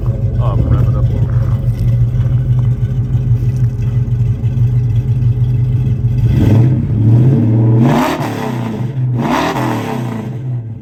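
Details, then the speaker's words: 1967 Ford Mustang Fastback, heard from the rear: deep, even idle burble, then two clean quick throttle blips rising and dropping smoothly; no blow-by, clean dipstick; healthy strong-revving engine. "I'll tell you what that sounds nice back here"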